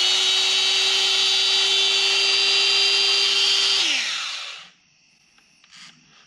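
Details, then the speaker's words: Makita angle grinder, after fixing its stripped gears and regreasing: a steady, high, even whir with no rattle or grinding, then a clean spin-down; it has never sounded so smooth. "wow that's crazy I don't think this thing has ever sounded that way"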